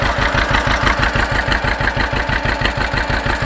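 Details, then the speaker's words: John Deere 530 two-cylinder tractor at first start after overhaul, transmission oil low, burning WD-40 off bolts: slow, even putt-putt at about three beats a second, steady and regular, no leaks so far; idles normally. "Sitting there just putting away. Don't have any leaks so far, so I'm pretty happy about that."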